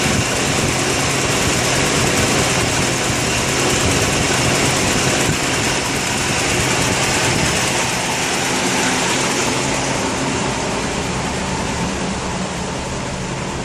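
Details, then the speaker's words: Ford 200 inline six at idle, with new plugs, wires, coil, distributor, cap and rotor: uneven lumpy misfire stumbling about three times a second; owner suspects sticking valve(s), unconfirmed. "Not sure if you can hear that, but I think I got a sticky valve problem."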